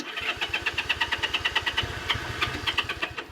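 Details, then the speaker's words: Honda CA78 305 Dream, sat 14 years, plugs out and starting fluid put in the cylinders: a short burst of uneven pops about three a second that fades out. It fires but won't keep running and needs a carburettor clean. "yeah no but it it it sputtered which is good that's what we needed"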